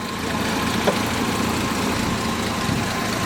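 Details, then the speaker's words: 1967 Jaguar 420 saloon with rebuilt 4.2 L six and stainless mufflers, hood open: even, steady idle with a smooth low hum, no knocks or misses; engine purrs, running healthy. "4.2 liter sounds great just purrs huh"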